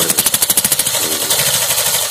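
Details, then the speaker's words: Suzuki Access 125 scooter idling after its tappet repair, valve cover still open: quick even puffing chuffs about ten per second from the open breather pipe, normally quietened by closing it; the tappet noise is gone. "ये जो पाइप मैंने इसे दबा के रखा हूँ, क्योंकि इसमें से आवाज़ आता है, साउंड आता है फटफट करके, तो इसको बंद करना पड़ता है।"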